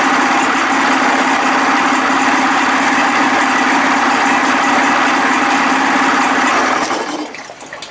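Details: 55 hp Evinrude two-stroke outboard after new starter fitted: steady, buzzy idle with a fast, even patter and water splashing behind it. Runs smooth and healthy despite a leak at a gasket corner.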